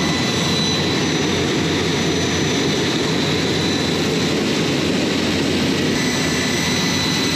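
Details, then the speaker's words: J79 jet engines on a ground run after refuelling and fixing leaks, to verify the leak repairs; steady, even turbine roar with a constant high whine, no surging, popping or hunting. Normal idle. "So, again, really good day, very productive. So, hope you guys enjoyed hearing those J79s coming to life."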